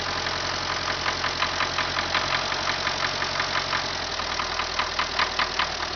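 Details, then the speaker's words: MTZ diesel tractor idling with a steady, sharp metallic knock several times a second, standing clear above the engine note; internal engine knock, cause unknown. "Запустили двигатель. И слышим стук."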